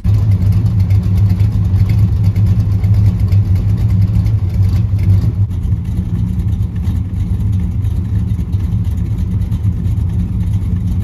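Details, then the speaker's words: 1976 Dodge Dart Swinger with a non-original 340 V8, after small fixes: deep, even V8 rumble with a steady, smooth beat and no knocks or misses; a happy, sweet-running engine, normal running. "yep that's a happy machine"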